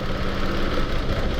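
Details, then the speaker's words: Mitsubishi Mirage G4, hot engine, new coil and plugs, injector code: uneven lumpy misfire idle appearing when injector harness wire is moved, loose connection in wiring. "So chineck namin dito and hinuhugot ko yung injector kasi nag-test ako kung may supply Meron naman pero nung ginalaw-galaw ko yung wire dito sa harness yun y mga"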